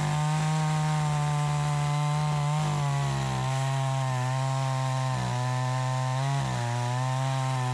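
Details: Troy-Bilt 20-inch two-stroke chainsaw, bought new, after carburetor adjustment: strong steady high rev dipping briefly into each cut and snapping straight back, clean crisp pull; cuts better than ever, owner may tune for more RPM; healthy under cutting load.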